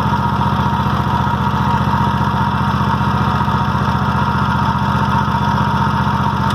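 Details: Toro walk-behind mower at about 3000 hours, spark plugs only ever cleaned and no carburetor problems: an even, steady low putter with no misses or knocks at run and idle, which is normal running.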